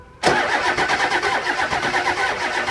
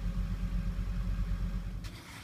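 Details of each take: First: 2001 Ford 7.3 Powerstroke diesel, hard start and rough running when cold, no-start below 50°F. Starter cranks with an uneven, lurching beat and brief flare-up as cylinders pull unevenly; base engine low on compression. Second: 2001 Ford 7.3 Powerstroke diesel, hard start and rough running when cold; fully warmed with oil at 190°, about 9% IPR; even, low diesel rumble with steady beat, no stumbles or knocks: normal warm idle, before injector replacement.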